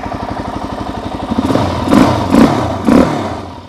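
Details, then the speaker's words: 2006 Suzuki DR-Z400S after removing and cleaning the Mikuni BSR36 carb: even idle thump picks up cleanly on three quick throttle blips and settles without stumbling; runs like it should, normal revving. "seems like she runs like she should feels good man"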